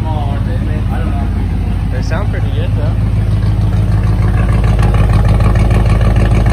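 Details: 1986 Ford F-150 just started after about 15 years sitting and a fuel pump swap, still on old gas; oil pressure up, possibly low on power steering fluid. Deep, even burble at idle and light revs; doesn't sound too bad, normal running.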